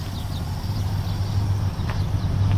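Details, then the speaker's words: 1964 Dodge "Earlene" after a cold start, with a vacuum leak plugged and the air cleaner off: a low, even rumble holding a steady idle with no hunting, hiss or misses; a smooth, healthy engine. "It's just the most unimpressive engine in the world, but it's just so smooth and perfect and calm and docile."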